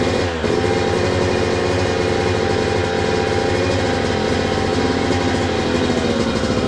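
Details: 2002 Yamaha YZ125 two-stroke dirt bike that sat a long time, first start after cleaning, choke on: crisp busy buzz at steady fast idle, no knocking or clatter; crank sounds good, normal running.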